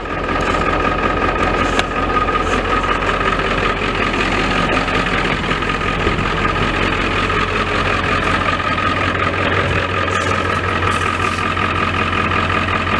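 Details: Ford F-350 XL 7.3L Powerstroke turbo diesel after a hard cold start; even diesel clatter at steady idle, no misfire or stumble, rhythm constant: normal diesel idle.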